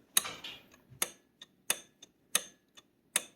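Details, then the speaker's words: Motorcycle with key on, dash lights and headlight working, battery tender showing full charge: starter relay clicks repeatedly but engine does not turn over, indicating a bad battery despite the charge reading. "you can hear that relay popping so it's got enough juice to try and start but it's not turning over it's not that it's not starting starting it's not turning over"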